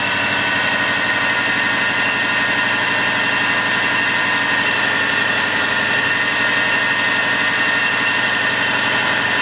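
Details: 1999 Subaru, 215,000, started after alternator/battery low-voltage repair: steady, even idle with a smooth, unbroken hum, no knocks, misses or whine; normal idle.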